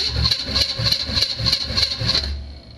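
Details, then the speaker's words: 2006 GMC Envoy with an LS small-block swap, starter jumped with battery voltage at the relay, no fuel: rough, labored cranking with a sharp metallic ring each stroke, same as before. Harsh starter cranking noise, but the engine turns over. "so I go battery voltage and it sounds exactly the same as whenever I started sounds"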